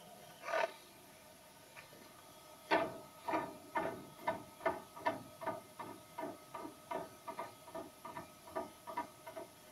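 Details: Quiet sharp wooden clicks, about two per second, repeating as the table travels; small play in the table is making the knocking noise while it moves.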